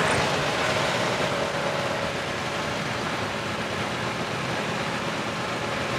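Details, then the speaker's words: 1990 Daihatsu Charade CX small petrol engine, used car for sale: even, steady roar held at raised revs with no knocks, rattles or misses, still smooth when revved; normal revving. "Lah ini benar-benar bisa Suaranya bisa benar-benar halus Nah kita coba geber pun suaranya dia tetap aman tetap masih enak gitu"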